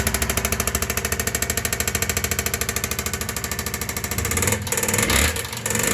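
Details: Yamaha XV 535 Virago: steady idle carrying a fast, even metallic clatter on every beat, getting rougher as revs rise; strong engine noise and rattle, source unclear.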